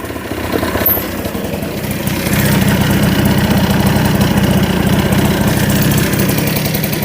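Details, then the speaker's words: 1988 Honda Vision Met-in 50cc scooter after cleaning the carb and adjusting idle down: settles into a steady, even putter with no hunting or stalling; normal idle. "oh sounds a bit better doesn't it sounds awesome sounds like new"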